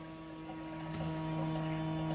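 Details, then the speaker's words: BougeRV portable propane on-demand water heater, holding about 100°F, water supply runs out after about a minute and a half: steady electric pump hum lifting slightly in tone as the pump runs dry; unit blinks out-of-water warning. "Let's see what happens when you run out of water, if it'll shut itself off. And we are out of water."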